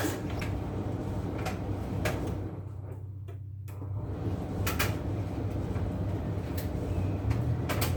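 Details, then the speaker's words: Craftsman LT2000 lawn tractor, unused since about 2013–2014, running after an oil and filter change. Steady low engine drone with a brief dip midway, otherwise even and unbroken: normal running. "just gonna fire it up when you let her run for a second and check the levels again"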